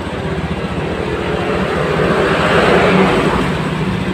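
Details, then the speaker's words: Honda Scoopy FI scooter with severe misfire and no power, no MIL fault: engine roars unevenly and stumbles when throttle blipped, going flat on throttle release. "Ini motor ini kasusnya brebet brebet nya parah ya"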